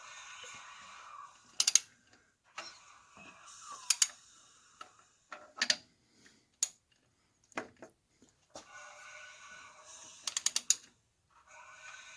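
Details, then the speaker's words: Dodge Dakota 4.7 V8, timing chain job: engine turned slowly by hand gives uneven bursts of light metallic clicks and rattles as the loose, slack timing chain slaps against its guide, producing the chatter. "so that's what you're hearing the chatter on that chain now got it down to here as you can see here how loose this chain is that's the noise is here slapping up against there that's it"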